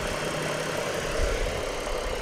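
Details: 2007 Ford Falcon BF Mk II auto ute, repairable write-off with front crash damage: dull, uneven thudding at idle felt through steering; idler pulley and belt shaking, power steering pump suspected, belt to be removed to test.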